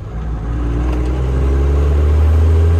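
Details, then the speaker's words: 12-valve Cummins diesel truck with new head studs, AFC housing, fresh fluids, after 5th gear repair (new countershaft and main shaft gears, synchronizer, clutch cone, fluid), first drive: deep smooth drone climbing evenly under load, no whine, clunk or grind; normal running through gears. "Runs good. It seems like it's got some work to it. Sounds good."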